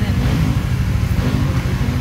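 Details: Trader 150 FI motorcycle that stumbled and stalled when wet, after new original spark plug: steady even low engine drone with no stumbling or misfire while being wetted in a water test; runs cleanly.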